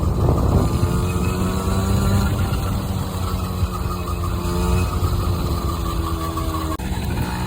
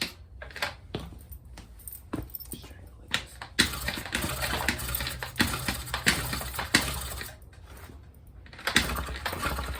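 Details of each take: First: Honda NC50 Express 50cc two-stroke scooter on test ride after revival, topping about 25 mph; even buzz climbing smoothly in pitch with speed, no misses or bogging under wind noise, running well. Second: Honda NC50 Express 50cc scooter on a cold day cranks repeatedly without firing after too much starting fluid; spark confirmed but the plug is wet; flooded engine, cranks but won't start.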